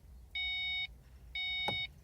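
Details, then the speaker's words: 2005–2009 Mustang 4.0: two half-second warning beeps, faint click, no cranking, no fuel pump sound; dash shows check charging system, fuel level low; no crank no start caused by bad PCM diode in underhood fuse box. "as you can see there's a no crank no start um check charging system fuel level low"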